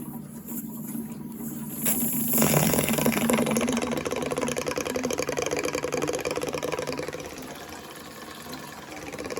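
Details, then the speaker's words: Boiler service, Bell & Gossett DT-2 expansion tank: valve to tank closed and water drained, then after a couple of seconds a steady airy hiss starts and holds as air is drawn into the tank. "All right, drain some water out of the tank. I'll get a little flat screwdriver. Remove that. Hear the air."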